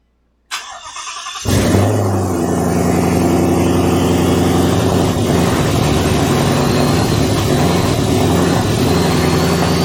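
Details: Twin-turbo Ford Mustang build, first start on a new base tune with no exhaust fitted; after a brief crank it catches and settles into a steady, even rumble with no more rough running.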